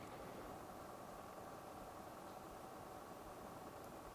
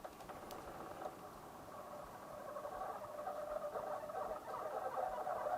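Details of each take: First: Coolmoon Crystal Diamond 120 mm ARGB budget PC fans on their remote hub controller, at a higher speed step after odd noises at the lowest settings. Only a faint, even airy hush with no ticking, buzzing or rattle; fans running normally and quietly. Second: Coolmoon Crystal Diamond 120 mm ARGB budget case fans on the remote-controlled hub at the lowest speed setting: rough uneven growl with scratchy patter, about four pulses a second, an odd resistance; middle and higher speeds run silent.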